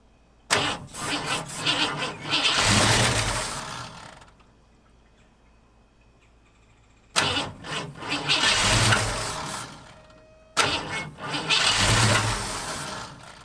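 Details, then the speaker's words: 1950 Ford F1, first start after years sitting in a barn: three tries, each firing and running a couple of seconds on carb cleaner sprayed in the carb, then dying; not getting its own fuel, carb to be cleaned. "spray a little car cleaner down there see the popping bank hey buddies hands are clear"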